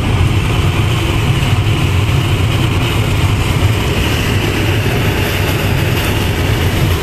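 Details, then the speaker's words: Winnebago Lesharo (Renault-based van) at highway speed: steady rushing drone with faint constant hum; no air leak, the opening window's metal flange catches wind and resonates. "there's no air leaking in here the sound is in the leak it's just the wind brushing by what I think is the metal rim of the outer wind the one the window part that opens that makes a real annoying sound up front it's just it's loud"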